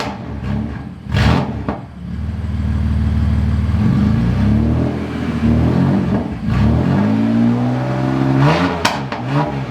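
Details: BMW F80 M3 after spark plug replacement: crisp start, smooth steady idle, then a few quick clean blips that rise and settle evenly. Normal idle and revs.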